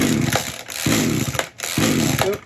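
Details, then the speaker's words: Echo SRM-210 two-stroke string trimmer after new carburetor fitted (for hard starting), running with old spark plug refitted: revs up cleanly in quick bursts and drops back without bogging or sputtering; normal running. "put the new carburetor on took a little bit to get it running so sometimes it happens that way but now run sounds pretty good"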